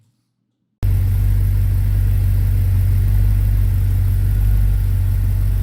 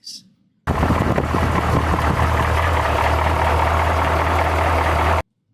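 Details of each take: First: Replacement V8 for a 1972 Chevy C20 Longhorn pickup, run with all-new parts after 20 years of trouble: a steady, even rumble with a smooth rhythm and no knocks or ticks; the engine runs normally. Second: 1972 Chevrolet C20 with rebuilt 383 V8 that lacks power; deep steady drone at idle with rough uneven clatter, long-unresolved source unknown; engine clatter.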